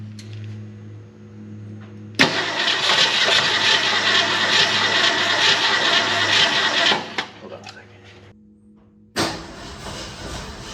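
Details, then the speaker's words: 1962 Ford Fairlane V8, all original, first start after sitting since about 1993 and after top-end work to free it: runs unevenly with a steady knock about two per second; something in the bell housing is suspected. "whoa it runs it just Knocks hi it runs okay it just doesn't sound very good"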